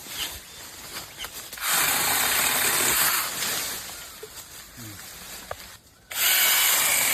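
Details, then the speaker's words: Ingco cordless 8-inch battery chainsaw, no fuel, cutting branches in the field: two clean bursts of high steady whirring with no stalling or rattle; cutting ability and speed judged very satisfactory, normal cutting. "இதோட வெட்டக்கூடிய திறன் இதோட வேகம் speed எல்லாமே நம்மளுக்கு ரொம்பவே நல்ல திருப்திகரமா இருக்கு."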